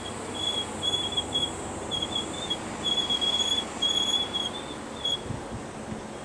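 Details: Car fitted with Kranz Giga's wheels, rolling: a high, thin brake squeal comes and goes in repeating bursts over quiet road noise.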